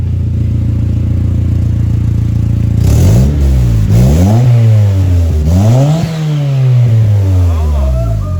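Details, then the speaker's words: Turbo Honda Civic D16Y7 1.6L SOHC non-VTEC on first start, eBay 0.63 A/R turbo, 8 lb wastegate spring, 240cc injectors, stock ECU untuned, idle about 750: three quick revs, pitch climbs and falls cleanly, rising whistle; healthy turbo spool making boost. "that sounded pretty insane definitely pushing out some boost"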